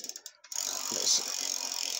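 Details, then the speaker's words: Bike rear-axle 2WD assembly with double ratchets: a few sharp ticks, then a fast, high-pitched clicking buzz while coasting, quiet under drive; freewheel ratchet noise that the owner thinks can't be fixed. "you hear all the you got double ratchets look at the noise so when you're coasting it's Ruddy noisy that's awful when it's under drive it's quiet"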